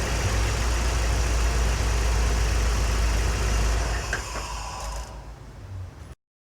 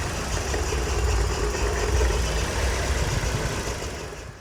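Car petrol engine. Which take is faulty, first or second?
second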